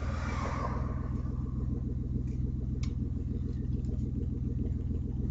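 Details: Audi A4 2.8 12V just after startup, deep tractor-like chuffing about three per second from an exhaust leak right after the flex pipe and before the cat, one bank open; later repaired.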